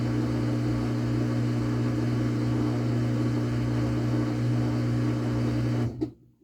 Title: makes loud noise and spin drlay